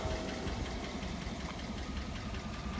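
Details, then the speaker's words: 2009 Cadillac Escalade V8, warm idle: light quick ticking over low even idle, following engine speed; ticks every time it warms up, quiets after restart; owner wonders about oil pump, source unconfirmed. "yeah you can still hear the tick like I said dried like how it isoot still ticking every time it warms up it ticks every [Music] time"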